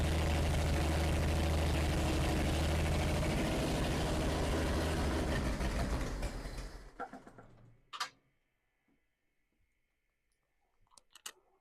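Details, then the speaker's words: Plymouth Duster slant six, first fire-up after install with carburetor rebuilt: even steady idle with smooth regular beat, no knocking or ticking before shutdown; engine sounds healthy. "we got a runner it sounds good it sounds really good"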